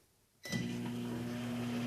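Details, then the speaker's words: Microwave after fixing faulty door switch that stopped heating: door shuts, then clean steady low hum with soft buzz holds even as it times down; runs normally and heats water. "Oh, yeah. I can hear it running. It's timing down."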